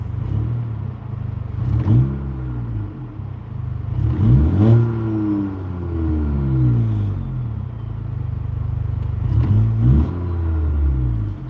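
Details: Honda Accord (10th gen) with new high-pressure direct-injection fuel pump, revved while checking actual fuel pressure tracks target; clean rev swells from idle and back smoothly with no knock or rattle; normal engine revving.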